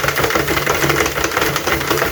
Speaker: no importa si se mueve la máquina Si suena así Eso es normal ya